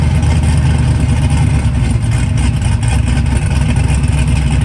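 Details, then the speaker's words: Pro Charged Trans Am, supercharged V8 making 7-8 psi boost, with the exhaust cutout open bypassing the muffler: deep, loud, steady rumble with heavy low-end pulsing at fast idle; normal running. "That's what the cutout opens. Well, it's not through the muffler. Yeah, the muffler quiets it down a lot."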